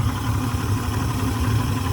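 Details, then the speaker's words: 2006 Yamaha 150 TXR two-stroke outboard with performance and idle issues, primer bulb stays hard, idle about 800 rpm versus 1,000 earlier: low uneven idle with stumbles and misses, then dies; cause not found. "RPMs look to be about 800. They were 1,000 before the hard run. Now it's kind of low. See, it's sputtering."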